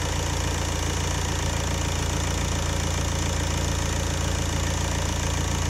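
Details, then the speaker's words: Renault Laguna II 2.0 dCi 110 kW M9R diesel, warm, after oil pump replacement: steady idle with light regular clatter, no knock or rattle; oil pressure about 3.5 bar warm (about 5 bar cold); earlier squeal still to be investigated; normal idle. "Tak já to ještě nastartuju, změříme ten olejový tlak, ještě ukážu to znova, že ten tlak je v pořádku a pak si od toho odpíchneme."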